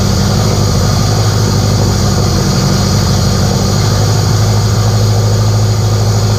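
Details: K24a2-swapped Acura Integra first start after injector issue fixed and reinstalled, open downpipe, radiator off: freshly started four-cylinder settles into steady even idle, deep open-pipe rumble, no misses, knocks or ticks; normal idle.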